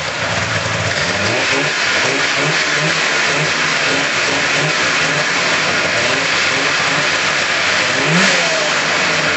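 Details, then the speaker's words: 1999 RMK 500 snowmobile two-stroke, running after cylinder block returned from machine shop, smoking on mixed fuel: crisp steady running with clean throttle blips, no knocks or misfires; normal running. "sorry about the smoke out, but that's expected with the mixed fuel. I'm happy, it's running."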